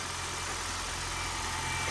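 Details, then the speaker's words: 2020 Toyota Corolla hybrid, 481,000 miles, original lithium-ion hybrid battery, non-spec 12 V battery, 0W-16 oil, started after sitting 3 weeks in about 19–26° cold garage; steady low smooth idle warming up, not charging hybrid battery, no knocks or misses; normal warm-up idle. "it does not need to continuously charge charge the Hybrid battery set up to a certain point now it's only concerned with warming the engine up"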